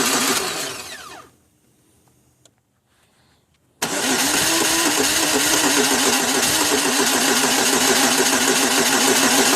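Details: 2002 Pontiac Grand Am: the starter churns steadily at about three pulses per second, stops, then churns again without the engine catching. Extended crank with no start; the car eventually starts after 6–7 tries.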